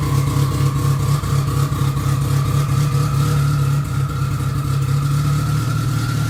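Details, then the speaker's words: Modified Mitsubishi Evo on true E85, cold morning about 35-40°F, just started after long cranking: deep, lumpy exhaust rumble holding steady with tone rising as revs build; pulls cleanly, sounds healthy. "But yeah, here we go. Listen to this thing. It sounds pretty awesome."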